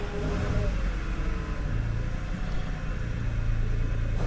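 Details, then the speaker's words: 2018 Toyota Sienna with replacement engine, previously crank-no-start, scope ground knocked off: low uneven lumpy idle with heavy exhaust smoke; misfiring, with a bad coil or bad ground suspected. "Got a lot of smoke pouring out of the exhaust. Honestly, it looks like we have either a back coil or a background."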